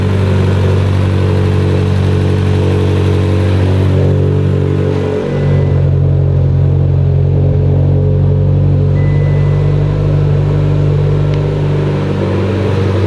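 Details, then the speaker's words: Mitsubishi Evo X (friend's build), first start after engine rebuild, new dual-muffler exhaust, cooling system not yet proper; deep steady rumble with one brief dip, no knocks or ticks; motor healthy, oil pressure fine, normal running. "but we're good to go motor's healthy motor's fine oil pressure is fine"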